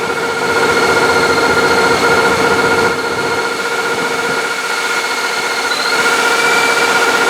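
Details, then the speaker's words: L29 454 with ProCharger kit on longer serpentine belt retaining smog air pump: steady even running, faint accessory whine, no belt squeal or chirp; owner suspects power steering pump leak and notes low alternator voltage. "no squealing off the bat seems to be running everything I'm a little concerned about the low voltage on the alternator"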